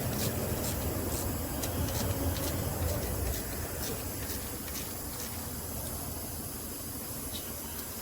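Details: 2015 Chevy Silverado 5.3 V8 with P0300 misfire and blinking check engine light: rough running with a fast, light ticking from the valve train, traced to a defective collapsed lifter not holding pressure.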